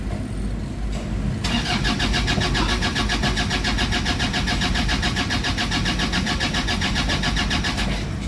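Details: Toyota Fortuner diesel with crank-no-start fuel system issue and a weak battery; starter churns at a steady rapid beat for several seconds before the engine catches and settles to idle; hard starting from air in the fuel system.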